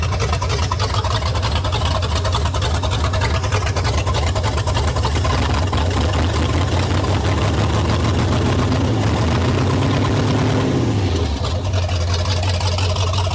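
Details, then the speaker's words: 1973 Ford Mustang Mach 1, 351 V8, sat over 15 years, now on clean fuel with a battery charger: deep lumpy, uneven idle that dips lower near the end, with smoke out the back; rough idle, cause not confirmed. "And crank her. Yeah. That's not too bad."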